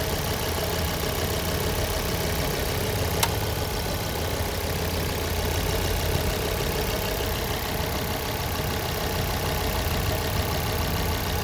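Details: 2006 Ford Focus ST2 petrol engine idling: faint knocking under a low steady rumble, present both cold and hot; cause unknown to the owner.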